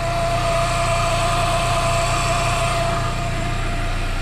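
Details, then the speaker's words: Chevrolet Cobalt SS during its rebuild idles with a steady high whine that holds the same pitch; the owner suspects the brand-new intercooler pump is unusually loud but is unsure whether that is normal. "do you guys hear that my intercooler pumps really loud is that normal"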